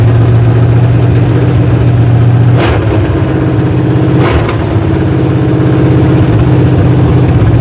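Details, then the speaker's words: 1986 Chevy Silverado with 5.7 350 Vortec V8 after camshaft swap to run the stock mechanical fuel pump, first start: even deep steady idle with a couple of handling clicks; runs smooth and pumps fuel, normal idle. "at least we heard it crank up and we know it does run and it does pump fuel now so that's the main thing"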